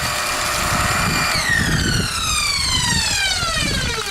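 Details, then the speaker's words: Five-month-old pool pump in backwash mode: a steady motor hum with a high whine sliding downward and no sound of water moving. The owner suspects the impeller has come off the motor shaft. "you hear it it sounds to me like the impellor has come off the shaft"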